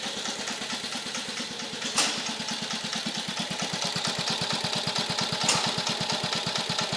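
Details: 1950 REO small engine, freshly revived, carburetor adjusted down to a very low idle (these reportedly idle real low): slow, steady putt-putt at a couple of firings per second, no stumbling or knocking; healthy low idle.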